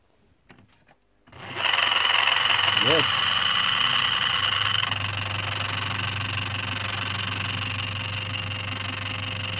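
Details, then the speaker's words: ebm-papst M4Q045-CA01-09 shaded-pole fan motor, 230VAC 1300 rpm with a sleeve bearing, from a Frico heater, greased: spins up with a rough wavering whirr, slows and stops; bearing problem suspected. "sounds bad and there we and there it stopped so yeah it's a bearing problem I guess"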